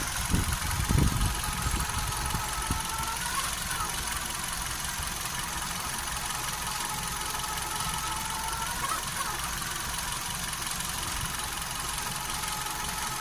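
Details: Hyundai HB20 idling: a steady hiss and faint whine with a loose, irregular tick on top. Owner wonders about the timing belt, power-steering fluid or a bearing; the source is unconfirmed.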